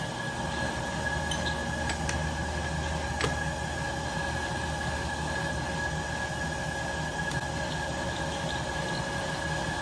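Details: 1967 Logan model 1875 lathe on first start through a Phase-a-matic static single-to-three-phase converter, auto-feed lead screw engaged: steady motor drone with a constant mid tone and light gear clatter, no knocks or surging; normal running.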